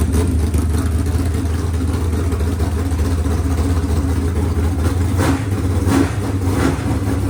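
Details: Freshly rebuilt 383 small-block V8 for a C10, running on an engine stand: steady deep idle with a few quick throttle blips mid-clip, no knocks or ticks; runs clean, normal idle and revving.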